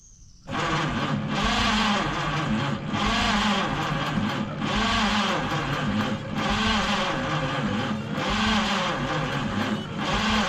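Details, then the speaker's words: 1953 Studebaker Starliner, odometer 38,360 miles (possibly 138,360), off the road possibly 45 years, 6-volt system, hot wire bypass to coil: starter cranks steadily in slow surges without catching; erratic spark, owner suspects dirty points; cranking, no start. "I'll verify if I have any spark at spark plugs here. So, I saw a spark, but it's very erratic."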